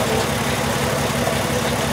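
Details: 2002 VW Jetta VR6 petrol idling with a steady rhythmic stumble after faulty injectors were replaced; still misfiring with a cylinder 1 injector circuit fault code and a cam position sensor code; cause not yet found.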